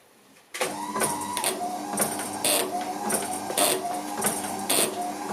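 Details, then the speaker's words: Gilbern classic car with retrofitted Ford Focus Mk2 wiper motor, relay wired to the park switch green wire: motor hum with relay clicking about once a second and brief pauses; relay tries to switch off but wiper won't park, park earth interrupts only ~200 ms. "now what you can hear if the relay is making a noise it's trying to switch off but this the problem is it's not stopping you see it's pausing"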